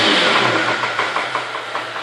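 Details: Holden VZ Commodore engine with sharp light knocks about six a second over the running note as revs settle; source unknown. Engine knocking.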